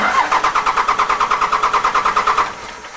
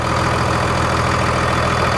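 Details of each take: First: 2002 Dodge Cummins 24-valve diesel after FASS fuel pump and drawstraw install: starter turns engine in even pulses about three per second, no start; cranking to purge air from fuel system. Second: 2002 Dodge Cummins 24-valve diesel after FASS fuel pump install and bleeding air from fuel lines: dense, even diesel clatter at idle, steady beat, no stumble; smooths out as lines are tightened.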